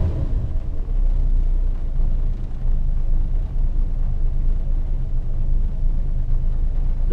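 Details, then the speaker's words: 1974 Valiant six, first cold start since August after sitting in freezing weather, hard start, slight smoke: once warmed up, a steady, even low rumble with no misses or knocks as it settles into a healthy idle. "car is pretty like once it's happy it's it's pretty good at settling down"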